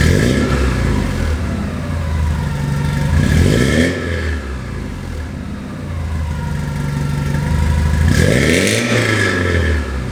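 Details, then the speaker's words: Porsche 924S with a Vibrant Ultra Quiet resonator newly fitted in place of the mid-mounted glasspack that had replaced the cat. Two free revs carry a ringing tone that climbs and falls with engine speed over the exhaust note, an exhaust ring the owner dislikes. "Well, hopefully it sounds better out on the road, because I don't like that ring. I don't like that noise."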